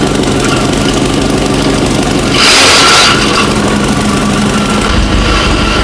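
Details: Abandoned 1960 Nash Metropolitan restarted after first revival, running really well; steady idle with a brief rev blip and loud fan whoosh over it, engine smooth and even.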